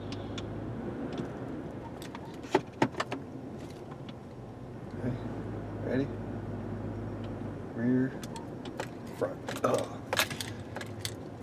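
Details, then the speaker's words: 2003 Chevrolet Trailblazer driven over the spot that reproduced the front suspension clunk, after fix including new front sway bar links tightened hard: low cab rumble and jingling keys, no metallic clunk; clunking noise gone. "that might be hard to tell based on that but our clunking noise is gone"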